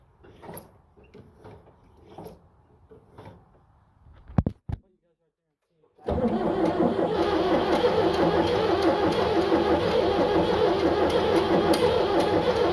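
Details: 7610 diesel tractor, after a pause, cranks in a steady pulsing drone about three beats a second, never catching; jump pack on battery; owner unsure of cause, considering ether.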